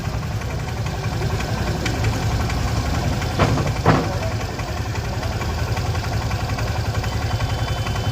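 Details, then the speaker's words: Suzuki Access scooter at 47,921 km, petrol, started on side stand: loose, uneven knocking about twice a second at idle with vibration; worn clutch bearing knocking, replacement clutch bearing fixes it. "इसलिए इस समस्या clutch. एक clutch सहन करना उपलब्ध पहुँच, जिसकी कीमत 750 है।"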